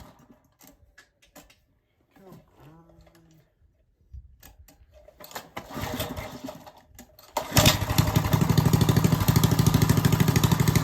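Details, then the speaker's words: Old Briggs & Stratton engine after its coil was replaced with one from another old Briggs & Stratton, started in cold weather needing choke: a few quiet clicks, then it catches and settles into a steady, even chug; new coil seems to have fixed it. "My point is, anyway, it does run. I think we fixed it. The new coil is what it needed."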